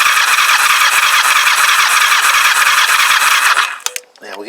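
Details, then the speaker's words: Kawasaki GPZ500S rebuilt engine, compression test on cylinder one with the throttle wide open: even, steady cranking beat with a whirring starter, no skips or hiss; healthy compression of about 145. "as near as dam it 1 15 145 maybe let me just switch that over to cylinder number two"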